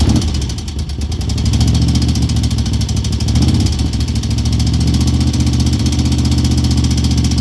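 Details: 2002 Moto Guzzi California EV V-twin at steady idle: light quick valvetrain-type tick about four a second; cause not pinned down.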